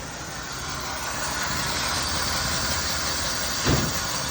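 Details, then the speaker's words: 1972 Chevy C10 revived after sitting, rotten holed muffler later found crammed with acorns: engine runs loud and uneven, starving, ragged exhaust note, little flow from tailpipe, one sharp bang near the end; rough running, suspected blocked muffler. "Sounds good, but she's it's like starving for something. And I mean, there's just nothing but a little bit of heat coming out of this tailpipe."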